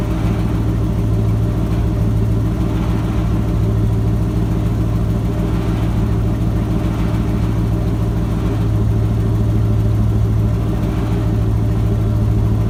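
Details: Ford F-250 with a 7.5L 460 big-block V8 after replacing the starter bypass solenoid for a no-crank, no-start. Deep, even idle with a steady low hum and no ticks, knocks or stumbles; running smoothly.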